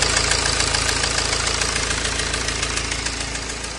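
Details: BMW E92 320d N47 diesel at idle: a sharp, even tick three to four times a second sits clearly above the diesel clatter; the owner doesn't know the cause.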